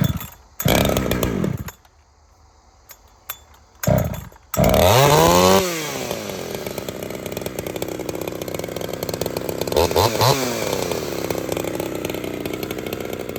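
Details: Ported Husqvarna 61 chainsaw with aftermarket 268 top end and crank swap, not yet broken in: a few pulls, then a crisp two-stroke scream that dips under load in firewood and recovers fast. It is healthy and strong.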